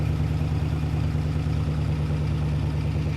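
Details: Ford Flathead V8, about 265 cu in, 4-inch stroke, four-barrel carburetor, freshly built on a run stand: low, even burble at about three beats a second, no misses, ticks or knocks; smooth, healthy idle.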